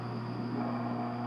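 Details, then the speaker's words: New LG WT1101CW 4.1 cu ft HE top-load washer (direct-drive motor) on a speed wash cycle, after the initial balancing spin. The drain pump gives a steady low hum with no grinding or rattle as it removes the spun-out water before rinse; normal. "draining the rest of the water that it was able to pull out by spinning it. That's the way that it kind of pre-dries."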